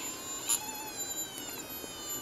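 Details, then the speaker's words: Joule ringer circuit with hand-wound transformer, running from 9 V batteries and a 50 V 9,700 µF capacitor: faint steady high-pitched whine with a few soft clicks, the transformer buzzing normally. "I wound this Transformer myself you can hear it buzzing away here"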